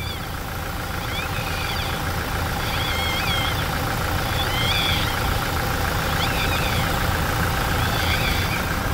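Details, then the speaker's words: Toyota Hilux, engine running after automatic transmission oil change: high chirping squeaks about every second and a half over steady rumble; dried-out deflector seal (retentor), a known Hilux noise point, stopped after lubricating. "a Hilux tem incidência de ficar com barulho naquele ponto ali ó esse defletor ali com retentor ali resseca e fica com barulho"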